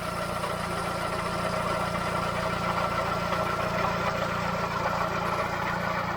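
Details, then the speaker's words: Car engine at 99,000 miles: a steady idle with a low, rough grumble seemingly from behind the timing cover. Owner suspects a worn water pump or tensioners; the engine itself seems fine. "And there we have it. Starts up straight away, but grumbly down here."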